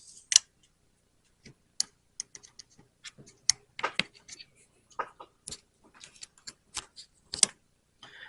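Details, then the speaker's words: Samsung S23 phone during battery replacement, microphone held right at the board: sharp tiny clicks as each ribbon connector snaps fully home, confirming it is properly seated. "you'll actually hear a little tiny click and that's how you know how you hear that click that's how you know it's connected same with that one"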